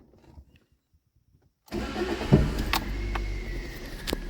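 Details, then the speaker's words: Toyota Yaris 1.0 petrol with check engine light and misfire, after replacing spark plugs whose electrode gap was excessive and clearing ECU fault codes: quick catch, then smooth even three-cylinder idle; normal start and idle. "Perfetto, è un orologio, quindi ricordatevi ovviamente di azzerare gli errori in centralina se presenti, mettete in moto ed è tutto a posto, signori."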